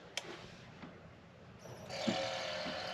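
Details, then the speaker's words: Boat fridge after installing new sync unit and correcting previously miswired compressor; quiet, then compressor clicks in near two seconds and settles into steady even hum without kicking off; normal compressor start. "compressor kicks on stays running like it should doesn't kick off"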